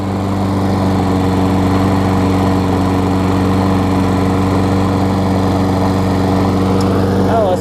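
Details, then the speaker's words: Craftsman self-propelled mower, Tecumseh engine about 20 years old, old gas, started cold first pull after fixing loose, backwards blade that caused clunking: steady, even drone and clean hum, no clunks or knocks; running smoothly. "see we get a turnover that's starting forward there as you can see hey you gotta love the one cold start right"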